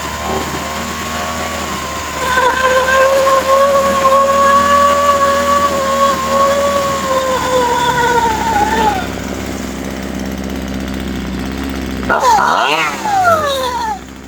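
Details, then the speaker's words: Husqvarna 136 chainsaw, warm, during carburettor adjustment: steady high-pitched scream sags and drops back to a smooth idle after the low-speed (L) mixture is set; idle judged okay. "Sänkte jag den. Jag tycker att det är varvhållet okej. Eller tomgången."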